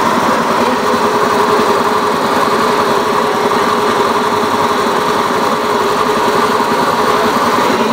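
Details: Honda Beat FI eSP eco scooter engine at steady speed, constant raspy gravelly drone with harsh upper tone; rough engine noise, cause not identified.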